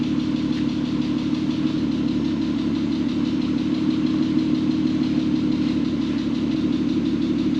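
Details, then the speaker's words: VW R32 started after 10 years sitting, following a correctly redone timing chain: steady, even low hum with no knocks or misses; idles smoothly and healthy, only a slight ticking noted. "Okay. Heat. She's a purring like a kitten. Oh my goodness. You know, all it needed was just a timing chain done correctly."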